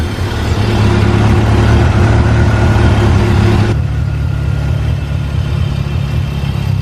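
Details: DSM Talon after a new head gasket and transmission rebuild, running about ten minutes: smooth even low rumble settling to a lower steady idle with no misses or knocks; normal running.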